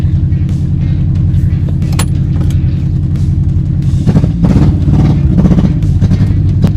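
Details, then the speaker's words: Project Honda CRX engine idling high, near 1500 rpm, sluggish with no throttle response: a lumpy, stumbling, V-twin-like beat. Owners suspect timing or not firing on all cylinders. "Yeah, I don't know if it's all firing on all cylinders. It's either the timing or it's not firing on all. That's why it's like it's like a motorcycle engine. It does sound like a V-twin."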